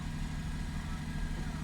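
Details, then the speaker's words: 2007 Lexus IS350 after replacing the mass airflow sensor that caused rough idle (had dropped to about 500 rpm and stalled at stops): steady even idle hum, no misfire or stumble. "as soon as we changed it is improved start to idle probably as you can see so let me just start the car so you see how it idles right now"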